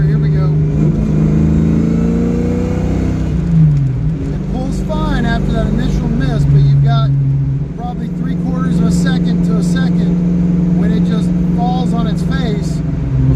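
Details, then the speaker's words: Ford Mustang on a carb and distributor tuning setup with the middle accelerator-pump setting, cruising in fifth gear at 55 mph around 1,800 rpm: it bogs with a big miss, hesitation and shudder until about 2,500 rpm, then smooths out. "no big Miss big hesitation big shutter till it gets to about 2500 RPMs this is definitely not how I want it driving around"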